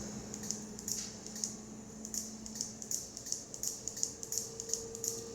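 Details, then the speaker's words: Heavily modified Elegoo robot kit whose 3 A MOSFET was upgraded to a 20 A relay: sharp, light clicks about once a second in a quiet room. The relay is just switching on and off as designed. "If you hear the clicking, you know what that means. There is some kind of switch. Yeah, we've upgraded from a 3 amp MOSFET to a 20 amp relay."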